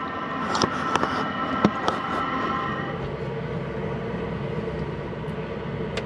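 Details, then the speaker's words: Hcalory 8 kW diesel heater mounted outside an off-grid cabin, running after the glow plug heats: a steady fan whoosh and soft even hum, with a few handling taps early on. Normal running. "okay I can hear the the pump ticking all right so that's starting to warm up"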